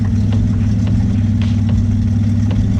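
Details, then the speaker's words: Twin-engine Mazda MX-3 engine during idle tuning, set about 700–790 rpm with fuel added after choppy low idle: low, steady, even rumble with no misses or knocks; holds idle smoothly, healthy. "it's running, it's holding an idle, it's not doing anything really out of the ordinary compression wise. It does sound like a healthy engine"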